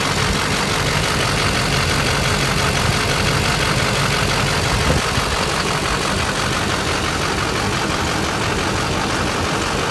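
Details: 6.6 Duramax diesel at idle, loping unevenly with an irregular stumble in the clatter at roughly three beats a second, pointing to a misfire.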